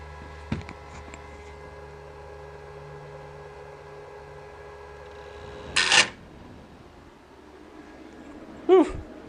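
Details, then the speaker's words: Juniper router at power-up on -48V supply; quiet hum then two sudden harsh rattling bursts; chassis alarm reports left fan tray fan failed, sounds like a fan blade broke off. "it sounds like a fan blade flew off and I was heading straight towards me"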